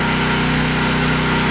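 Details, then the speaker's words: Briggs & Stratton 8 kW tri-fuel generator, 15 hp engine, switched from gasoline to pure propane, no load: steady even drone without misses or surges; normal running. "let's Crank It Up on propane open up the gas valve give it a little Prime and crank her up that's pure propane and it is a whole lot"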